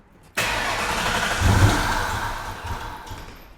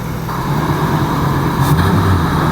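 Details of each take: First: Long-stored Mustang Mach 1 V8 with new fuel work and boost gauges: the starter churns steadily for a few seconds but it never catches. Crank, no start while the fuel is still priming. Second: Ford Mustang Mach 1 V8 revived after sitting under a tarp: deep, even idle burble with a slight supercharger-like whine on top, no knocks or misses; idling smoothly and healthy.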